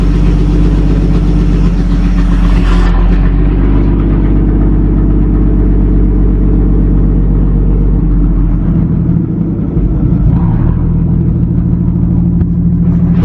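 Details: 1937 Talbot saloon 3.2-litre six-cylinder, first run since 1976 with fuel system temporarily bypassed: deep, steady low rumble settling into an even idle after a short blip; slightly smoky, oil pressure about 40 at idle, 50 with revs.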